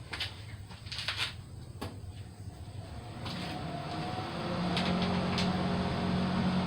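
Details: Kohler Command 18 hp twin after rebuild, cranked during spark test: uneven clicks and rattles, then a steady low hum builds and holds as it spins over; normal cranking.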